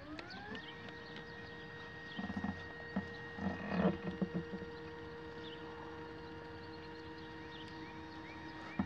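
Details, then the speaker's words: Astro-Physics Mach2 equatorial mount, right ascension axis slewing at 600 Go-To speed from the west side to park position 3: motor whine climbs to a steady, even pitch with no vibration or rattle, unlike at 1000 and 1800. "yeah no nothing coming out of that yeah no vibrations"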